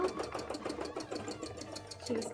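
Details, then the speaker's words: Sewing machine shading a cosplay dress through thick stitching, chugging about seven stitches a second with a low, rough growl as it labours under the heavy load. "it's just because the the stitching is quite thick so it really doesn't like doing this as you can kind of hear the machine growling because it doesn't like doing this"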